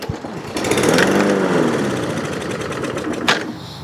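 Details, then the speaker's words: Toro Recycler Vortex lawn mower, no-start after sitting: primed with combustible fluid through intake hole, engine catches, putters unevenly, then dies. Runs only on primer, confirming air, compression, timing and spark; fuel starvation is the missing factor. "She is a runner, so it ran and died. So by having fuel in the carburetor, we confirmed air, compression, timing, spark. Fuel is the missing factor."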